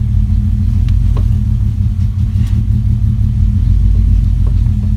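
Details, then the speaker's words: Engine first started, before the camshaft position sensor was replaced: deep, lumpy, uneven idle, the engine misfiring and running poorly. "right so as you can tell it doesn't want to run very well"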